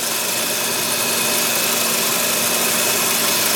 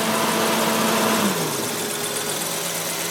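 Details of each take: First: Audi 100 Typ 44 2.3L NF engine at idle with faulty lambda sensor unplugged: smooth, even idle with steady hiss, no hunting; returns to mechanical base setting, 0 mA pressure actuator current instead of enriched idle over 1200 rpm. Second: Audi 100 Type 44 2.3 NF engine with faulty lambda sensor reading lean: sensor plugged into running engine, idle hum shifts then holds raised above 1200 rpm as control unit enriches via pressure actuator; unplugging sensor returns base idle.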